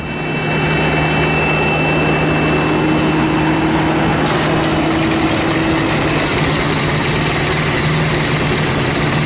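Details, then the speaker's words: Thermo King APU on a truck, small diesel run after start-up, coolant slightly low: steady high squeal fading as it settles; AC compressor clutch worn, owner deferring repair until spring. "hear that squeaking noise as my AC cluster it's worn I know it's Warren I said in a path I had it to part it in worn out"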